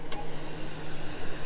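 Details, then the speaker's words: 2015 Ford F-550 4x4 crane service truck, V10 gas engine, one-owner fleet maintained, hood open: a deep, steady idle with even pulses and no knocks, ticks or misses. A healthy engine. "Hey, Kevin, open that hood. Let's let them listen to that motor. Boy, these V10s, they just don't give you"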